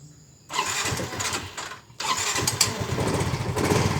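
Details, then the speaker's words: Fuel-injected scooter that was dead and would not start on a weak, dropped battery, now with a healthy battery. The starter spins briefly, then the engine catches and settles into a steady putter. Normal electric start. "Nah, tadi kan pas akinya soak nggak bisa diengkol. Coba saat akinya udah waras ya, kita coba engkol. Nah, udah mau nyala tuh."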